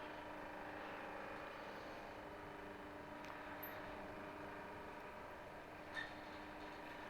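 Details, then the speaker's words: Chinese diesel heater that had thrown error E-03, glow plug found to be the fault: quiet steady fan whir, faint even hum and occasional light tick as it passes the initial checks and the pump kicks in. Normal startup. "So the glow plug itself was the problem. So this is in its startup sequence, past the initial checks, and now the hopefully the heater will work"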